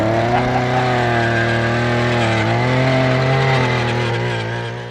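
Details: Small two-stroke auger engine that ran earlier that morning, recorded in wind: steady running with a slight pitch droop as it settles, no misses or knocks; starts and runs normally.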